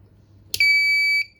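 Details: 3000 W pure sine wave inverter on 24 V supply at about 2 A: a single clear high beep of about half a second at switch-on, then silence with no output; power-on beep only, shorted IGBT.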